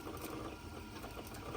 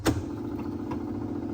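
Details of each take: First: Sony TC-250 reel-to-reel tape recorder from 1966, rewinding: quiet uneven rattle over the fast-rewind whir, loose chatter in the tape drive; a drive belt then broke and needs replacing. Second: Sony TC-250 reel-to-reel tape recorder from 1966 after installing a new motor run capacitor: click then a steady even hum with no wow or knocking, running at 3¾ and 7½ ips; still a bit noisy, owner plans to oil it.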